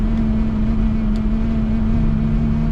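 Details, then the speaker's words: L322 Range Rover at highway cruise: steady drone with a bumblebee-like buzzing from the windscreen area above 60 mph, worse at 70; not the wipers; owner suspects a loose trim piece, unconfirmed. "There was a really weird vibration above 60 miles an hour,"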